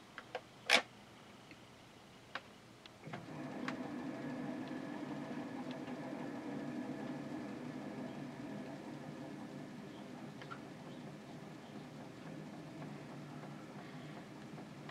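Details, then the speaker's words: Inground sprinkler system being opened for the season, zone run on manual: water rushes in after about three seconds, faint light ticks over a steady hiss from the water meter registering normal flow. "What's that ticking? The water meter is ticking."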